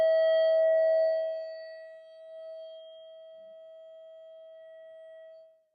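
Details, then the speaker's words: Minelab SD2100 metal detector at switch-on: a loud steady tone blares, sags, then holds quieter before cutting off. This is erratic audio at power-on, a fault these detectors are notorious for. "got an SD 2100 here and uh yeah it's got a really weird fault and I'll turn it on I'll show you what the fault is you'll you'll go hey what's going on here but anyway these are notorious for this type of fault"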